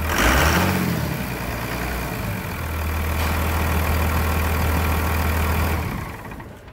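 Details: 1999 Cummins diesel after a new Thoroughbred Diesel injection pump, injector lines bled, on a frigid winter day; catches with a brief rev, then settles into an even, steady low idle with normal clatter and no misses.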